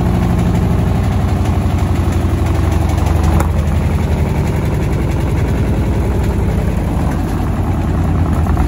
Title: Beko washing machine banging problem